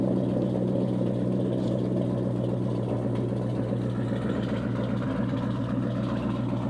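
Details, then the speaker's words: 2000 Ford Mustang GT, 4.6 V8, 172,000 miles, engine said to be stock: deep, loud, unmuffled burble at idle; owner thinks it is straight piped with cherry bombs or turbo mufflers, not sure; loud exhaust. "What I was told, the engine's stock, but I think it's straight piped. I'm not really sure. It's got cherry bombs on it. Or some kind of cherry bombs or turbo mufflers."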